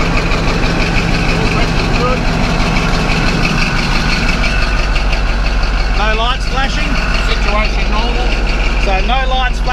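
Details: Caterpillar D11 bulldozer diesel, first start after sitting 5 months: deep, steady rumble with even idle beat, no misses or knocks; the big engine idles normally after its cold start.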